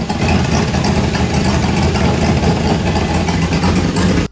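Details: Turbo V8 truck before dyno tuning, cold, about to warm up: deep, loping idle with a slightly uneven pulse, a little quieter now and staying running after a MAP sensor fix; the new cam is not tuned yet. Rough idle from untuned cam.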